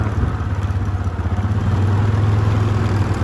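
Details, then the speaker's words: Yamaha Grizzly ATV rescued after years sitting, in low gear descending a steep trail at 6-8 mph: steady, unlabored low single-cylinder thump of about three pulses a second; healthy engine braking. "you know that's a good engine break when you're giving it gas going downhill"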